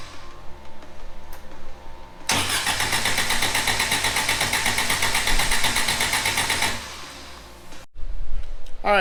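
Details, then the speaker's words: Suzuki Samurai on a makeshift distributor trigger ignition with a ballast resistor. It catches after cranking, runs harsh and uneven at about four beats a second, then dies. The ignition wasn't working, so the owner went back to the original coil setup. "because I'm having issues with uh [Music] you know using that makeshift whatever you want to call it ignition on my distributor it's just not working"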